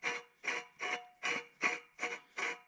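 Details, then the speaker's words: 1972 Alumacraft row boat outboard, lower unit disassembled, shaft spun with a vise grip after oiling the top bearing: dry, scratchy rasp in even bursts about 2.5 a second; bearing dry, possibly permanently damaged, owner unsure. "i just spawn it and uh you can see here it spins you guys can see in there it is spinning and you can just hear how dry that bearing is"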